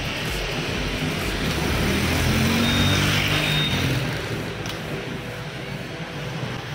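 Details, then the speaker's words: Honda Scoopy 2020+ (Genio engine, SF frame) scooter: severe misfire, ragged uneven popping as throttle opens, stumbles and won't pull; faulty fuel injector suspected. "nah ini kendalanya yaitu e brebet ya teman-teman jadi brebet parah sekali nih kita coba"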